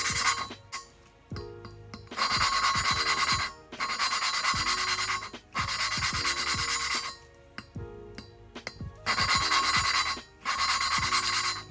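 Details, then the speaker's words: Valve lapping on a Honda B17A1 VTEC head (Ferrea flat-face valves) for an all-motor B17 CRX build: short, even back-and-forth rasping of the lapping tool with no sand-like crunch of compound left; the seat is now smooth and lapping is nearly done. "it's starting to get really smooth now. It's about done."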